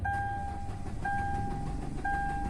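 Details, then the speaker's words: Hyundai Verna 1.6 diesel, code P1693 immobilizer transponder error: low cranking rumble that never fires, steady beep about once a second, rpm needle lifts slightly, battery charged; crank no start, immobilizer not recognizing key. "तो यह देख सकते हैं starter इसका battery है गाड़ी start नहीं हो रही है और इसका आरपीएम का जो काटा है वो भी थोड़ा उठ रहा है"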